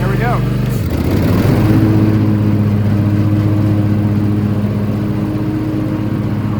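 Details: Toro TimeCutter Max 54-inch zero-turn mower with newly replaced blades engaged, tested in open field: steady mid-pitched drone, even and smooth with no knocking or vibration, running healthy.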